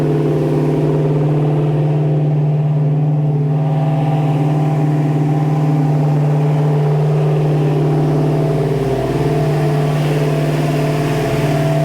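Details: 1966 Mustang Fastback's freshly installed 347 stroker V8 with T5 on first start: an even, steady drone held at a high, unwavering idle with no misses. The fast idle is from the unadjusted carburettor; its idle screws still need setting.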